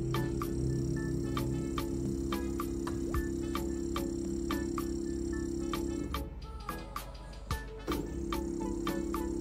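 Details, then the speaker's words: Homemade GRBL CNC controller (ATmega328 with A4988 stepper drivers), X axis jogged manually: buzzy growl with a steady hum and fast ticking, dropping out near six seconds; stepper runs rough, cause unknown. "Saya nggak tahu kenapa dia suaranya seperti itu ya."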